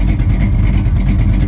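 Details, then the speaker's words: 1969 Dodge Super Bee V8 at its spring start-up after winter storage, with a carburetor that runs rich. A deep, lumpy idle with a faint, quick tick at firing rhythm from a front exhaust header leak; the header bolts likely date from 2003. "I don't know if you can hear that header leak at the front. It's driving me crazy. I'm gonna have to fix that."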